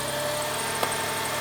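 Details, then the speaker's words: Subaru at pre-purchase inspection, cold start, charging at 14.3 volts, weak battery: steady high squeak from the front belt drive over a calm idle; either an old belt or a failing pulley, to be checked with a stethoscope. "off the bat, you can hear a squeak coming from the front. That could be either the belt is actually old or one of these pulleys is going bad."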